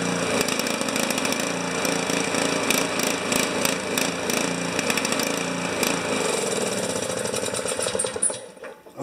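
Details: Honda HS720 snow thrower engine running out the last of the old gas: ragged, uneven popping note with irregular beats that stumbles and dies as fuel runs out; rough running.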